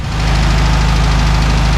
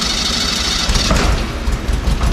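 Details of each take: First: VW Beetle flat-four after correcting the mixed-up plug wire firing order: steady, even low burble at idle with no misses or stumbles; normal idle, engine running again. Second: VW Beetle engine restarted after about a month down, fresh oil added, no fuel in system; catches and runs lumpy and uneven, stumbling about three pulses a second; misfire from incorrectly routed plug wires (firing order), first suspected flooded cylinder.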